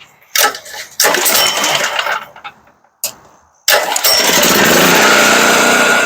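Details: Firman 3650 W yard-sale generator with old gas, pull-started with the choke on. A couple of pulls, then it catches and settles into a steady, even run.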